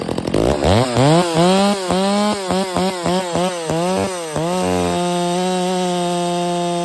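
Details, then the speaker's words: Stihl MS 660 chainsaw with 32-inch bar after carburetor and air filter cleaning fixed its failure to hold idle: revs crisply, holds steady pitch cutting pine without bogging; runs healthy. "I know it's just Pine but that was pulling it no problem the whole entire 36 32in bar man 660 that's a beast brother"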